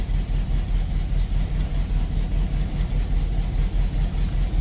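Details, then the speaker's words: 1972 Volkswagen Beetle around an oil change: low, throbbing idle with a steady beat of about two and a half pulses a second, slightly rough but the usual sound and settling. "There it goes. That's the sound I'm used to."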